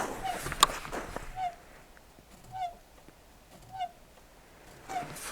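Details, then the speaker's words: Renault Duster 2 (2021, about 10,000 km) clutch release bearing squeaking with short rubbing chirps about every second, engine quiet, as the pedal is pressed; vibration is felt through the foot in the cabin. Squeaks only after 20–50 km of driving, not when cold; bearing later replaced under warranty. "вот так вот скрипит это в салоне вибрация на ногу передается да вибрация на ногу да слышно да надеюсь на камеру слышно"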